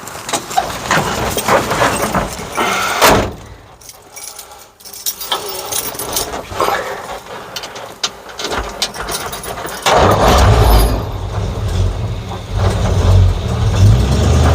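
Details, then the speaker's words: 1950 Ford F1 with flathead V8 8BA, first start after replacing a blown header/exhaust manifold gasket; cranks, catches and settles into a steady idle with no ticking or puffing, much quieter than before the fix. "I like it like she sounds much quieter now"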